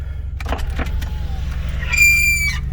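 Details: Camry ute engine with an audible misfire: a lumpy, uneven idle runs underneath, then a high, steady screech cuts in for about half a second; the source of the screech is still unknown.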